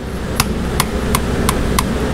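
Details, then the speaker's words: Honda ATV/three-wheeler carburetor after air-filter and carb cleaning; throttle pulled fully open and released gives six crisp metallic clicks as the slide hits the top and bottom of the carburetor. Throttle slide moves freely, normal travel. "if you pull the throttle all the way up you can hear it hit at the top ready all the way top you can hear that slide hit and then when you let off you can hear that slide hit the bottom of the carburetor"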